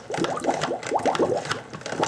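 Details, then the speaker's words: Fluval 106/206/306/406 canister filter being primed by pumping the primer up and down: quick bubbly glugs rising in pitch in uneven bursts as air is pushed out; stiffening means it is filling with water. Air gurgling out during priming. "That's basically what you want to look for, and you just keep doing it, and it'll make all kinds of horrible noises. It'll get a bit stiff. That means it's filling with water. That's great. That's the noise of it. It's starting to fill up. You can hear the air dispersing."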